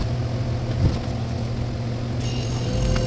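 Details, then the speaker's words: Salad cooler refrigeration unit not reaching temperature, fan wired through the compressor capacitor: steady low compressor hum with no fan whoosh; the condenser fan motor is not running and is stiff and dirty. "Uh-oh, yeah, I found the problem on our fan, it's not running."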